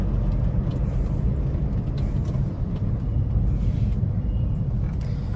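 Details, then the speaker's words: Maruti Swift diesel at about 3 lakh km, after timing kit replacement for black smoke and pulling problem, on the road: even low drone under road rumble, no knocking, hesitation or surging; engine smooth and pulling well, like a fresh car. "എൻജിനൊക്കെ നല്ല സ്മൂത്തായി. അതുപോലെ പുള്ളിങ്ങും തന്നെ നല്ല പുള്ളിങ്ങായി."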